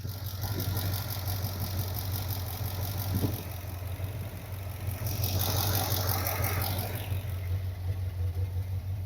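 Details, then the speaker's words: 1979 Corvette V8 idling during warm-up after the muffler was refitted: a loose, irregular knock about three times a second comes from the muffler rattling, not the valvetrain. "Yeah, that muffler's knocking. That's the knocking you hear."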